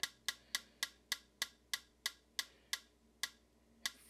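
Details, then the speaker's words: Vintage Heathkit TD-17 solid-state metronome on 18 V bench supply after swapping a failed 22 µF capacitor (measured 46.69 µF, high ESR): crisp, even ticks about three per second, easing slightly slower; working properly. "I wonder what that sounds like in the box. Oh yeah, that that's a nice good sound."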